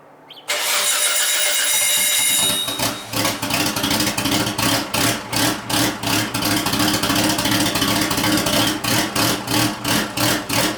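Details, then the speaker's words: Built Nissan RB26 in an R32 GTR (fully ported/polished head, 260 Tomei cams) started with the exhaust open: loud, raspy, choppy idle about three pulses a second, car rocking side to side, sounding like a bridgeport rotary. Normal open-exhaust idle. "that sounds like a goddamn Bridgeport rotary what the hell"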